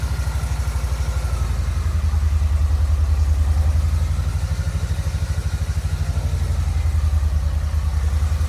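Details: Kawasaki Vulcan Nomad 1600 fuel-injected V-twin, fuel pump seemingly sorted and all four plug wires (two plugs per cylinder) trimmed and reseated: deep, steady, even loping idle with no misses or knocks.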